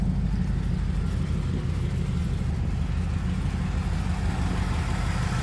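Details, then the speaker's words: 1996 Chevrolet Camaro Z28, 5.7 L LT1 V8 with 4-speed automatic, tuned but on the stock cam, just started: deep steady idle with a slight lope from the tune, no knocks or misfires; Y-pipe exhaust leak still unfixed; runs healthy. "Fires right up. Because it is tuned, it does have a little bit of a lope to it. It is on a stock cam though."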